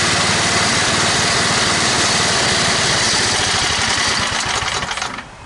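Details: Toro 824 snowblower single-cylinder engine after carburetor replacement (previously stalled, hard to start, suspected sticking floats): fast even chatter, about four beats a second, steady without stumbling, then cuts off; normal running.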